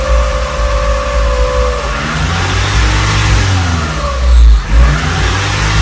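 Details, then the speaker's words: Acura Integra after injector timing was corrected: idle rises and sags irregularly every second or two under a loud exhaust rattle; owner suspects the intake manifold, not confirmed. "I'll turn it on for a little bit show you what I'm talking about cuz it now it does that Idol Sur so I'll I'll show you what I'm talking about"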